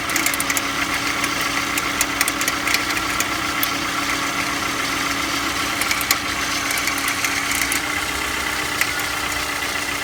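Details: Engine cold idle: steady running with a light, irregular ticking and rattle over the engine note. An abnormal foreign noise on a cold engine, cause unclear.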